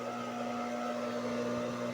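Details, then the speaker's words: High-speed single-needle sewing machine motor that previously only hummed without turning, after replacing the capacitor: smooth, even mid-pitched hum spinning continuously with no catches. Capacitor was the fault; motor now runs normally. "So ayun nagtuloy-tuloy na siya ng ikot."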